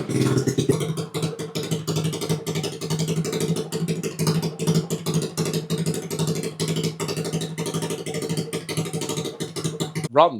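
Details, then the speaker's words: Freshly built ChoppyCub custom bike with a 110 pit bike motor on its first start, kick-started with choke: the small single thumps out quick with even pulses at a steady fast idle, no misses or clatter; runs pretty well, to be left running about 15 minutes to bed in the cam. "runs pretty well. I'll just let that run for 15 minutes or so."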